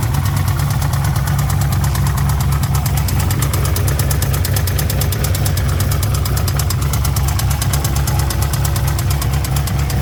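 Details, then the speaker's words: Procharged LS-swapped BMW during Sick Week: heavy idle with sharp, sporadic knocking, checked by pushing the clutch in and out; bottom-end failure considered confirmed, though new oil was still to be tried. "I guess it answers the question if it is a bottom end or not."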